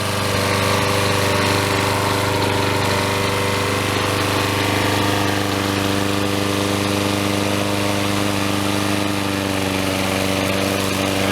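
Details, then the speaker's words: Troy Bilt self-propelled mower, 6.75HP Briggs & Stratton, after replacing broken intake tube and carburetor throttle linkage: steady even single-cylinder beat, no misses, surging or knocks; runs smoothly. "This thing smoked quite a bit with it being overfilled with oil. I think we've got that resolved now. So here we go here. Sounds much better."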